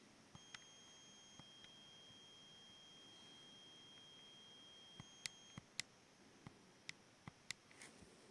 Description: The hissing sound is caused by the screen backlight. At the extremes the hissing is inaudible and towards the middle it is loudest. I assume this is due to the frequency of the PWM used at this setting.